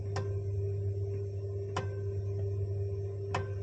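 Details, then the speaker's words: Gas boiler with f53 fault history (Venturi mass flow sensor being replaced): light ticks about every one and a half seconds over a steady low hum from a faulty zone valve; synchron motor suspected, not confirmed. "we've got a faulty zone valve there as well so I'm hoping it's just a synchron motor"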